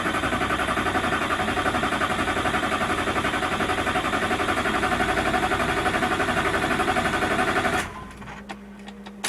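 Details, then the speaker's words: Duramax LBZ diesel after fuel system teardown, modded CP3 high-flow pump and 60% over injectors: starter churns steadily at about four compression pulses a second, never fires; extended crank from air in fuel system, fuel lift pump left on. "all right so we did have the whole fuel system apart so that is part of the reason why we're gonna have this issue"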